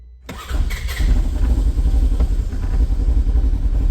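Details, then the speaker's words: Polaris Ranger 900 with new engine replacing one at 25k miles, primary clutch removed, first start after fuel priming: catches after brief crank and settles to a steady, even idle around 1300 rpm with no knocks or misses. "all right it's running and idle on its own here"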